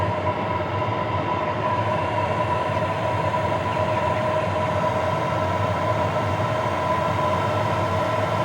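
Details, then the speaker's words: Hcalory Toolbox 2 compact diesel heater once diesel has finally reached it and exhaust smoke appears, warming up: a steady, even combustion roar with a constant fan hum and no pulsing or misfires. Burning cleanly and running well. "I put you down and now it's starting to run really well."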